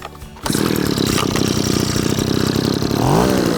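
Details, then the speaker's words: BV26C 26cc two-stroke petrol blower vac, started on the recoil after priming with choke, then choke gradually taken off: engine catches, then a rapid, even two-stroke buzz that holds steady and rises slightly; starts cleanly and runs healthy. "It's then simply a case of just pulling the recoil and it will start, and when it does start running we can then gradually take off the choke until the engine's ticking over and we can start using"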